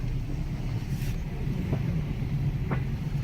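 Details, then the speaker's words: Jeep Compass, 150,000 miles, ABS and traction control lights on, driving: heavy road rumble with sharp knocks over bumps from loose steering and suspension; strut loose and separating at the worn top mount. "Good lord, that is loud. Okay, let me hurry up and get in the shop. I'll have to inspect it. Ah, 150,000 mi. ABS light on, traction control light on. Dang, horrible suspension noise."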